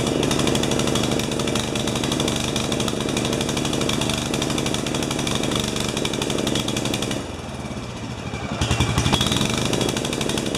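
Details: 12 HP Swisher bush cutter, wide open throttle: rough, blubbery run that never clears, then picks up briefly as the carburettor bowl runs out of fuel, so the engine is running rich. The carburettor was missing a piece.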